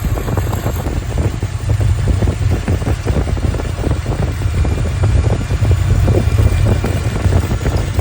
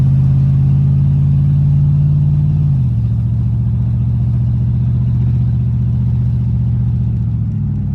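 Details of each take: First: 1983 Ford Capri V8 at idle, factory cast exhaust manifold apparently with no gasket: rapid sharp puffing tick over deep rumble, manifold exhaust leak found with soapy water; later welded shut, headers planned. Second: 1983 Capri V8 with factory cast exhaust manifolds, after welding shut leaks: deep even rumble stepping down in pitch, no ticking or puffing from the exhaust.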